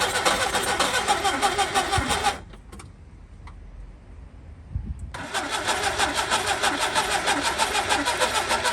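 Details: Skoda Favorit Forum, carburettor, not started since 2001, distributor cap, rotor arm, HT leads and plugs, old fuel in tank: long cranking bursts with pauses, slow to catch; needs full throttle to start, then holds at half throttle (2,000–3,000 rpm); hard starting.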